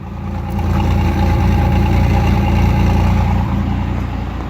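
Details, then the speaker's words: 1985 Pontiac Firebird, sat for a couple of years, new battery, cold idle recorded outside at the exhaust; even low burble holding steady without its usual RPM hunting; nothing wrong. "It's actually not fluctuating between RPMs a whole lot today. Up here, nice and quiet. Can't barely hear it."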